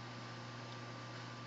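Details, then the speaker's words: Samsung FTQ307NWGX induction range, front burner set to max/high: cooktop cooling fan always runs when burners are on; soft steady whoosh with faint constant low hum, no rattle or wobble; normal. "And you'll hear the fan come back on again. The fan always runs when the burners are on."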